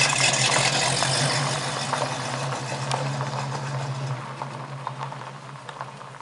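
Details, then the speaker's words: 1969 Mustang coupe V8 with newly fitted dual exhaust: even, steady idle with a smooth hum, no rasp or blowing leaks; muffled, quiet, healthy exhaust note. "Well, everyone, there you have it. Happy customer, nice Mustang, good sounding exhaust."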